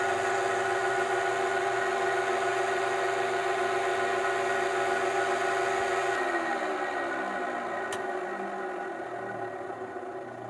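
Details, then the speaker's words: Convection oven main blower motor running then coasting down: rough, buzzy whir with faint pulsing warble sliding down in pitch; suspected bad motor bearings, not confirmed. "so if your motor sounds like that chances are that your bearings are bad"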